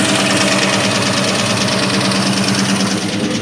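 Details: 2003 Ford SVT Cobra V8 at idle: rapid hollow sewing-machine-like clatter about three beats per second; piston slap from badly scored pistons.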